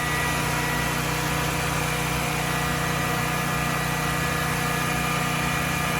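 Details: Generac XG10000E generator running after sitting about two years, with carburetor rebuilt and fuel solenoid replaced: smooth even V-twin drone at steady governed speed, no knocks, misses or hunting; normal running.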